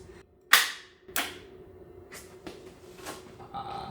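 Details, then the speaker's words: Rebuilt 300hp turbo GSXR motor in a 6x6 mini jeep, cranked by bypassing the starter relay: two loud, sharp bangs about half a second apart, then softer irregular knocks; cause unclear. "don't know. That sounds horrible."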